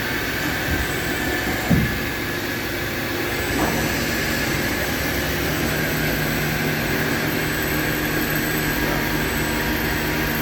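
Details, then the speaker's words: Hurco TMX8MYSi CNC mill/turn lathe, 8-inch chuck, 4,500 RPM, 12-position dual turret, live tooling, 6-inch sub-spindle, dry-running a program: steady even hum with faint tones, no knocking or grinding; normal running. "We just dry run in this program so you can listen to the machine, hear it operate."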